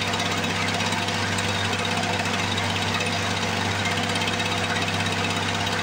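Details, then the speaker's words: 1978 Lawn-Boy commercial two-stroke mower, long stored, first start after priming: loud, rapid steady crackle with no misses or surging; normal running. "here we go there's nothing boy if that don't sound beastly"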